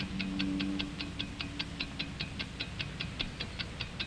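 Crisp even ticks about two and a half per second, steady rate with no skips, a healthy watch running true.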